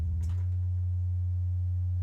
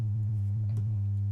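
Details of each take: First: Misbehaving synth's sine oscillator with the triple delay unplugged: a steady, pure low tone around 90 Hz with no buzz or grit. Distortion had come and gone as modules were plugged in and out; output now clean. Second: Modular synth with all modules powered from flying bus boards: a steady low sine tone with irregular chirping blips riding on it, changing as a module is unplugged and replugged. Sine wave output distortion, source not yet found.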